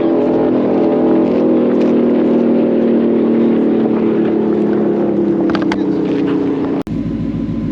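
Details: Blue car on an aborted pass: a flat high note pinned at the rev limiter with no upshift, then a sharp cut and drop in pitch as it shifts. Shift points are commanded too late, so the transmission only shifts when he lets off the gas.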